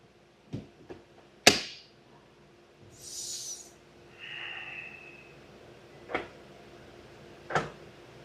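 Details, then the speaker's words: Brand-new Hyundai Ioniq 6 failing Level 1 and Level 2 charging, tested on the included charger: the inlet lock actuator clicks locked, then clicks unlocked within seconds and charging stops. Proximity-detection high-resistance fault code present. "you can hear that it locks and then unlocks and we got here connected connected right it's charging stop"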